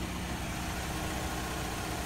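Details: Chevy Cobalt after fuel pump replacement (pump cracked at stem, factory defect): steady, even engine hum at idle with no knocks, ticks or misses; idling smoothly.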